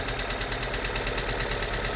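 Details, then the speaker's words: Honda Civic EK hatch: valves ticking loudly, plus a quick, even chirping rattle that changes as the clutch pedal is pressed. Worn clutch release (throwout) bearing. "so the vowels are ticking and you can hear the throw out bearing loud noise they go press on the clock"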